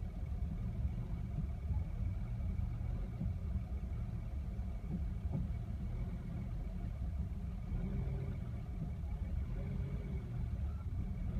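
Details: 1975 Mercedes W116 280S, engine warm: petrol engine idling low, rough and uneven, its rumble wavering as if close to stalling.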